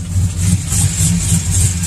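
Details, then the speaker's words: V8 truck with long tube headers, cam and pushrods idles steadily with a sharp, even slow rhythmic tick about three a second, worse on passenger side; exhaust manifold/header gasket leak, tick gets louder under load. "it's a slow tick it has a rhythm but one thing to tell the difference between an exhaust taking a voucher intake is an exhaust tick will get louder under load"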